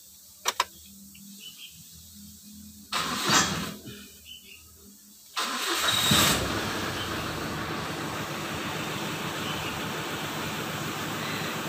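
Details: 2012 Mitsubishi Strada Triton Exceed with code P2413 (EGR system), a high temperature gauge and low power. After wiring repair: two clicks, a brief crank, then a second crank catches into an even, steady idle. It starts normally.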